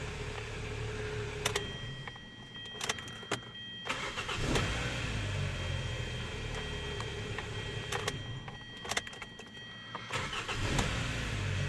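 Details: 2013 Hyundai Sonata 2.4 GDI after replacing the high pressure fuel pump, which cured a long crank before starting: several short cranks each catch at once and settle into a steady idle; a normal quick start.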